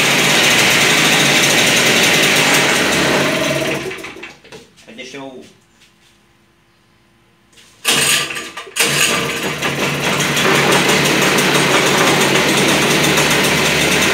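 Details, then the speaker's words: Toyama TG30FT 57cc two-stroke drift-trike engine with a remote throttle cable to the carburettor slide, first start of the day: the buzz runs high and even, dies away, then catches quickly on the pull and settles into a clean, steady run. "primeira partida do dia o apagador na posição ó ligado eu vou dar partida no motor normal quem não pega na primeira ligada a um pouco aqui né é normal"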